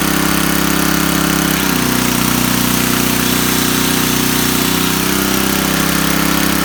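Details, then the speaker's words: Coleman Powermate 4000 W generator, Tecumseh 8 hp flathead, after a carburetor replacement, burning off oil in the muffler, tested under electrical load: a steady drone whose pitch dips as load comes on and settles back smoothly; normal running. "Working just fine, so like I said, just burning off the oil in the muffler."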